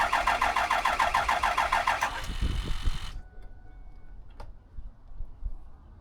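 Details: 2007 Ford F250 6.0 Powerstroke diesel, cranking on a jump pack trying to build oil pressure: steady cranking three to four turns a second for two seconds, stops without firing; crank no start, blamed on high-pressure oil standpipe and dummy plug.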